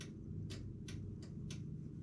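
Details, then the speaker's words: Sharp, dry relay clicks about three per second over a low engine-room hum on a 78-foot aluminum yacht repowered with Cummins truck engines; the ECU gets power but won't power up or communicate, so that engine won't start. "Well, technically third, but I'm getting nothing for and I'm getting power because I can hear the relay clicking on and off."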